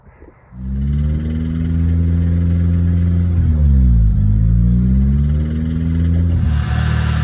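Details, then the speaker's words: Nissan Silvia SR engine, just started on a jump box and given 2,000–3,000 rpm: deep rumble with an uneven low rattle under the rev; rod knock, with copper flakes found in the cut-open oil filter. "But this is definitely rod knocked. Here she is off the trailer, and as soon as I started it up with the jump box, I heard a little like rattle."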